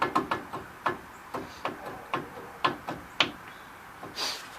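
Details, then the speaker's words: 2002 Ford F-150 5.4 V8 4WD that grinds when driving, mostly turning; rotor, caliper, brakes new. Tire off, hub rocked by hand: sharp metallic clunks two or three a second, moving up-and-down not side-to-side; worn hub assembly bearings suspected. "put the lug nuts on and pushed in announced on the top on the water and you can hear it how much it moves it doesn't move much from side to side but up and down it does"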